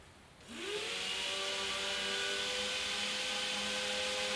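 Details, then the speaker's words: Suburban DD 17DSI RV furnace blower motor after cleaning and lubricating; it previously surged up and down. It spins up to a steady, even hum with no wavering or rubbing, drawing about 2.5 A: normal blower run. "i just basically just took it apart cleaned it up a little bit was not dirty at all and lubed it and it's a lot better now quite a bit better"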